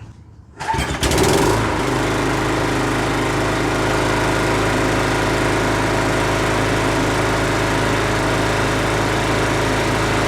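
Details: Husqvarna 510 MD push mower that had hit something with its blade, running after the flywheel key was replaced. Catches and settles into a steady, even run with no sputtering; slight vibration remains from a small crankshaft wobble.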